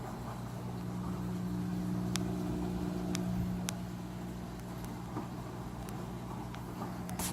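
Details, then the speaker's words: Maytag Neptune MAH4000AWW washer draining after the noisy drain and recirculation pumps were removed, serviced and reinstalled: soft, steady low hum with faint light ticks. Quiet, normal drain pump operation. "it's nice and quiet now just like it was before I'm draining"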